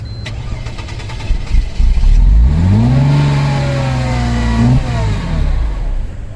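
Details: Wrecked supercharged 2002 Mercedes-AMG C32, starting fluid sprayed into intake; catches, then revs in a quick smooth climb, holds briefly and drops back; runs only on sprayed fluid, fuel supply suspected.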